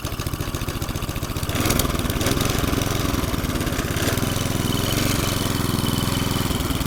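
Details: McLane 20-inch reel mower revived after about 20 years stored, started for a cutting test in long, thick doveweed grass: the small single picks up and runs at a steady fast putter, even and unfaltering.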